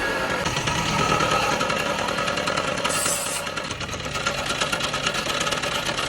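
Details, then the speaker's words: Bajaj M80 Plus two-stroke idling with the clutch pulled in: a loose, uneven rattle from inside the engine from worn bearings; changing two bearings should fix it. "m80 जैसी clutch दबा रहा हूँ, अंदर से कुछ आवाज निकल रहा है।"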